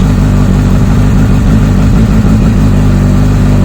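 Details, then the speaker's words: Honda CBF1000 started after sitting a week, with a rust-affected voltmeter unplugged after a cutting-out problem. Whirring, pump priming, then a steady, even engine drone that rises slightly on throttle with no misses; normal revving, stator appears to be charging. "now that to me should be hunky dory as it is so stator appears to be working like give him a little bit of beans I do get an increase"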